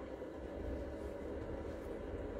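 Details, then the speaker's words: New diesel heater replacing a failed Chinese unit in an Iveco Daily campervan, just lit: a soft, even combustion rumble with a steady low hum and no pops or misfires. The heater is running normally. "It's not any better, it's not any worse. You can hear it now firing up."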